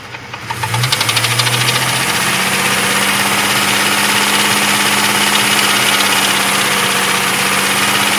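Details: Jeep 4.0 hot engine starting then idling with a sharp, regular ticking knock about three per second; knocking, cause undiagnosed.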